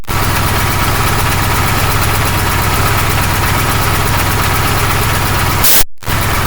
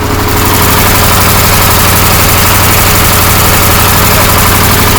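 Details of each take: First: KamAZ truck air dryer at diesel idle: a hissing purge burst; the dryer sneezes more often at higher revs because the narrow hydraulic hose from the compressor restricts airflow; fix is to replace it with a tube. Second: KamAZ truck diesel idling after the air dryer's thin supply hose was replaced with a copper tube; even beat with no hissing or sneezing puffs from the dryer; air system works normally.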